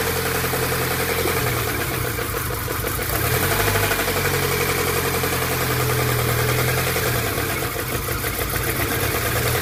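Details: VAZ engine (124) at idle with a faint, fast tapping over the engine note; engine knock, source not pinned down.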